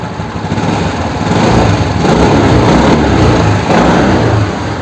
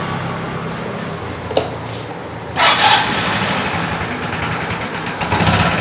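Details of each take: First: Suzuki Access 125 scooter engine runs steady with an even, unbroken beat and a light rise in revs, nothing knocking or grinding; sounds healthy, normal running. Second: Suzuki Access 125 scooter engine noise problem; small engine running with a harsh, buzzy rattle that swells on a throttle blip, abnormal mechanical noise, source not pinned down.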